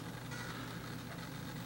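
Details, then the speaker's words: FMS BlitzRCWorks Super B-25 RC model: a steady low buzz persists after the retracts cycle, drawing about 0.1 A; owner suspects the gear door servos straining and plans to adjust them to stop battery drain. "I don't know if you can hear the buzzing but uh that buzzing's pulling about oh what's the amp meter show 0 one amp"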